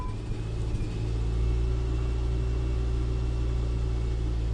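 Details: Car with an intermittent no-start, after the fuel pump is heard priming: brief cranking, then the engine catches and settles into a smooth, steady low rumble with no misfire; normal start and idle.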